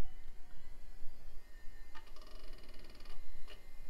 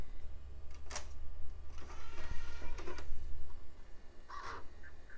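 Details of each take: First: Packard Bell PC with ceramic Pentium and Windows 95, after refresh with the power supply tested good: faint steady whir with a few soft seek clicks as the drive comes up to speed; normal, healthy hard drive spin-up. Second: Packard Bell Platinum 2240 original CD drive on first test: tray slow to open, then scattered clunks and rough mechanical whirring with no steady spin-up whine; disc never spins, owner thinks it's dead, later spins up, maybe after being knocked around.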